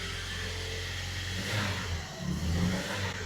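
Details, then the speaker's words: 2006 Toyota Tacoma 2.7 running with MAF unplugged (default strategy), lean (P0171), O2 sensor at 0.06 V not switching: engine idles low, then stumbles and surges unevenly under throttle instead of revving cleanly; lean sputter on acceleration. "it's sputtering whenever I give it gas. Like it's lean."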